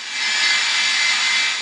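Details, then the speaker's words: Old AM/FM clock radio tuned off station after cleaning its scratchy, dropout-prone volume pot: radio hiss swells and fades smoothly as volume is turned, with no crackle, jumping, skipping or dropouts. "down and you'll notice there's no jumping no skipping no big garly Sands"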